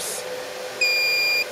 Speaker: so if I just turn this on that noise beIN is just to say that one of the fans is disconnected